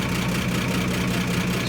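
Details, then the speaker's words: 1955 Chevy Bel Air V8 after a tune-up with new cap and plug wires reset to firing order, first start: deep, even burble with no misses or knocks; clean, healthy idle. "Purring like a tractor should."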